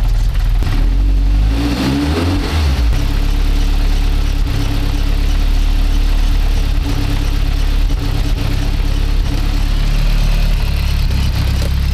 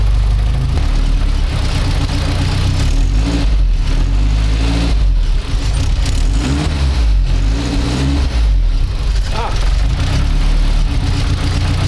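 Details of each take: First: Engine after swapping a Garrett G25-660 turbo for a smaller G25-550 and fixing an exhaust leak at a loose EGT probe: it cranks, fires, blips, then idles steadily with no puffing or ticking and no leaks found. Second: Turbocharged car started after swapping a Garrett G25-660 for a G25-550: harsh, loud blatting chuff on startup and revs, rasping each pulse, from exhaust escaping past the loose EGT probe port; fixed by tightening the probe.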